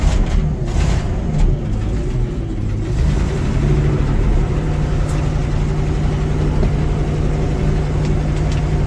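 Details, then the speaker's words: 1980 Ford LN700 with a 370 big-block V8 and four-barrel carb, first start after sitting a few years: a heavy, even low rumble, firing on all eight with no misses; it has a known bad exhaust leak. "sounds like it's hitting on all eight it's got a bad exhaust leak which I saw when I looked at it last week"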